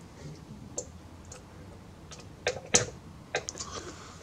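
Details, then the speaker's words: Fat PlayStation 2 disc drive, with some scratched discs, before laser cleaning: quiet, irregular sharp clicks a few times a second with no steady spin noise; drive struggles to read discs and grinds. "it makes kind of a grinding sound and also um having trouble reading a couple of discs"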